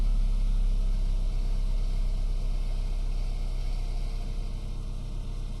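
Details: 2008 BMW E92 320i N46N, first morning cold start below 18°C, no error code: low, uneven, stumbling idle, fine once warm; new VANOS solenoids, spark plugs, carbon cleaning didn't help; new coils and cleaned throttle body untested.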